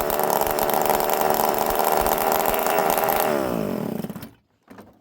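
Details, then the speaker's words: Ported chainsaw (21101) with no muffler and a busted kill switch: a very loud, raspy two-stroke howl holding steady revs without stumbling before shutting off. It runs well. "It runs good, friends. Real good."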